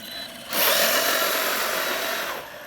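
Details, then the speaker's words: Arrma Kraton EXB 1/8 RC monster truck after diff rebuild and grub screw/motor mount fix: harsh gritty whir for about two seconds under power, fading off throttle; less gear noise than before but owner suspects the diff still. "Yep, there's definitely still an issue here. Jeez. I thought I had it fixed. Definitely there's less gear noise than there was."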